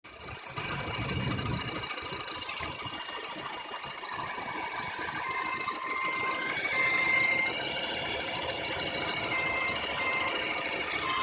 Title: Honda Civic 09 1.8 i-Vtec ES weird whining noise from under bonnet.